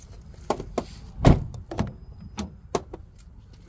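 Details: Sharp, irregular pops and clicks from an Infiniti QX80 door as it is worked. A bolted part is moving; the fix is removing it with a 10mm tool and adding a 1/4 rubber washer.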